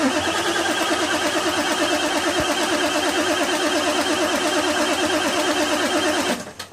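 Starter spins the engine in a steady rhythm of about three turns a second, but it never catches before the cranking stops.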